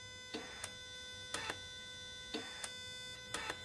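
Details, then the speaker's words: Ford AJ30/Duratec V6 restomod on ME360 management. The intake manifold tuning valve, unplugged from the manifold, is slow-toggled and ground-side switched. Sharp paired clicks about once a second from the valve and a relay under the dash over a faint hum: working normally. "And that's operated by, well, it's switched on the ground side, and you can hear a relay switching, which is under the dash there somewhere."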